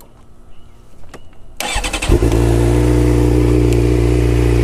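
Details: 2011 Suzuki GSX-R 600 with new, fully charged battery, after replacing a bad starter relay: short crank, then it fires promptly and settles into a steady, even idle; starting problem fixed.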